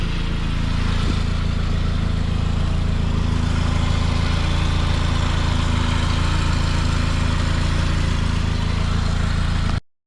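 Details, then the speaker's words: 2004 Saab 9-5 after an engine mount job, chasing an oil leak traced to the timing chain tensioner seal; running without the accessory belt, coolant temperature still cool: even steady low idle hum with no knocks or ticks. The engine runs nicely. "car runs runs pretty nicely um obviously like I said I don't have the belt running yet"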